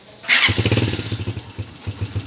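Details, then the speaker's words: Honda TMX 155 motorcycle, stored over a year for a noisy engine, after a clutch/drive conversion: starts at once and settles into an even, steady putter with no clatter. "oh napaka smooth kaya lang maate yung preno nanginginig joke lang"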